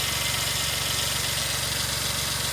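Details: 2003 Suzuki Jimny JB23W with the K6A engine idling after a water pump replacement: a fast, even beat with a smooth steady tone and no ticking or squealing, a healthy idle.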